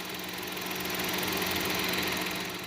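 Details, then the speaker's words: GM Chevrolet Tracker 3-cylinder turbo, fully hot after much driving, in reverse: soft, even idle hum with light steady ticking, nothing loud or irregular; normal, quieter than the loud first cold start of the morning. "Oi e o barulho praticamente é o mesmo o carro já tá bem quente né amor que já tá quente já trabalhou bastante então não tem mais aquele barulho alto que tinha na parte da manhã"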